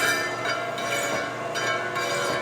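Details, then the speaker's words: Taper-turning a flat belt pulley on a Lion lathe with the taper attachment, at reduced speed and damped by an aired-up tire inner tube: steady cutting with a faint even ringing and no harsh chatter, where earlier there was bad chatter. "I'm not getting the chatter near like I was. I got some really bad chatter here, and I got through that already. I slowed it down. It's cutting really nice, actually."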